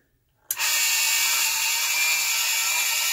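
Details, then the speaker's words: Grimes twin oscillating aircraft anti-collision lamp, an old electromechanical beacon driven by cogs and gears, switched on: loud steady whirring gear chatter with a high buzz, normal noisy running. "you can hear it's fairly noisy but doesn't that look good"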